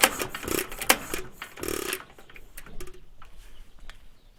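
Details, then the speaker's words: Stover CT1 1.5 HP hit-and-miss engine with Wico WK magneto, long troubled by the magneto armature not separating: a few heavy, uneven firing thumps, then the beats fade; engine stalls, cause unknown to owner. "All right, not sure why it stopped. Maybe, I don't know."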